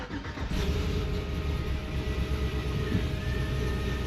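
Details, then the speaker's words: Cammed Tahoe with high-volume oil pump, ABS and brake lights on: engine catches after a short crank and settles into a steady lopey idle, choppy from the cam but smooth, good oil pressure; normal cammed idle. "Idles really smooth. I mean, you can feel it has a cam. It's choppy, but good oil pressure."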